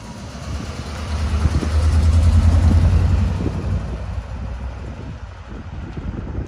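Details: 1978 Pontiac Trans Am, Z-code 400 V8, automatic, 69,600 original miles: deep rumble swells then settles to a steady, even idle with no knocks or misses; healthy, apart from a small exhaust manifold leak on one side.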